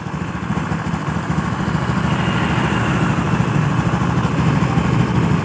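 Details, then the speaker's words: Honda Beat FI scooter after repairing a seized piston (piston and piston pin sanded until smooth), pressure raised from 20 to about 40 PSI; loud, even putter with no misses or knocks, engine now starts and holds a smooth normal idle. "Jadi motor ini hidupnya sudah normal, ya, sudah bisa setensioner."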